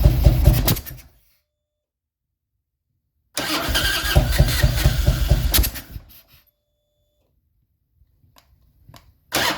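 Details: 2000 Harley-Davidson Road King V-twin, throttle body exposed: rough stumbling bursts cutting out between silences, coughing and backfiring through the throttle body; owner suspected ignition timing/ICM.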